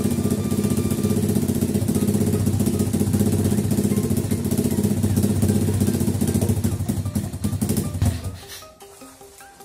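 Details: Pit bike carburetor after cleaning, at idle: a small single-cylinder idles with a lumpy, unsteady beat before the revs sag away. The idle mixture screw was too far out; the aim is the highest idle rpm.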